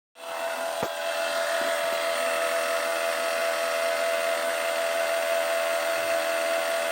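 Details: 2021 MG5 during rapid charging gives a loud, steady, mid-pitched drone, likely a thermal-system fan or pump working hard; a pipe gets too hot to touch.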